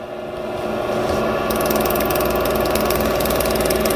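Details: Newly wired three-phase motor run after forward-rotation check, testing leakage without grounding: spins up to a steady hum with even whir, no grinding or knocking; insulation good, running normally.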